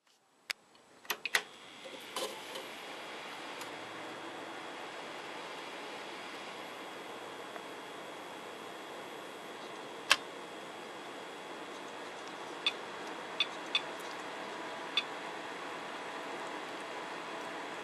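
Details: EVGA P55-SLI motherboard desktop at boot: steady fan hiss with sharp irregular ticks; ticking present a while, owner unsure if it signals coming failure.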